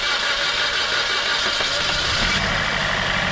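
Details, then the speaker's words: 2017 Suzuki Baleno, freshly rebuilt engine, first start; catches and settles into an even idle with steady hiss, no misses or shaking: normal start and idle. "now is no shaking now we've got our engine Super Fresh and run like hell"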